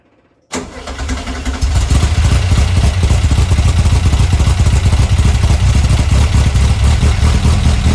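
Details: Car fitted with a Weber 44 IDF carburettor, original parts refitted: engine catches and settles into a steady, even, deep idle, then picks up cleanly; carburettors sound well balanced and healthy.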